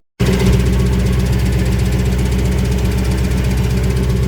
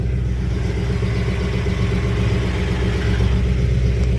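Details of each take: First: 1991 Lexus LS400 with Trans-Go shift kit, after a transmission oil pump seal replacement, idling while the transmission refills; fast busy clatter about four beats a second; transmission clatter, owner hopes it is the pump/torque converter taking up fluid. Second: 1991 Lexus LS400 after transmission oil pump seal replacement and Trans-Go shift kit install, TV cable just adjusted: steady low engine rumble with even drive noise, no clatter or ticking left; transmission now running normally.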